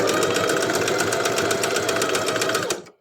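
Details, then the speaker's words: Sewing machine with a horizontal drop-in bobbin: fast, steady stitching clatter with an extra hard knock every few stitches as the bobbin skips; the bobbin area needs maintenance before sewing continues. "Ese sonido extra como de golpe es algunos saltos en la bobina. Como van a ver, la bobina está pegando algunos saltos. Cada tantas puntadas ella se salta y suena como un golpe que no debiese sonar."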